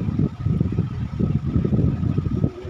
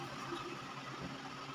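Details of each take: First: Sony automatic washing machine whose motor only hummed and wouldn't turn, after capacitor replacement and belt refitted, on spin dry: strong, steady low rumble with faint constant motor hum; motor now has power, normal spin. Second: Sony automatic washing machine on spin dry: the motor gives only a steady low electrical hum and barely turns, in both wash and spin.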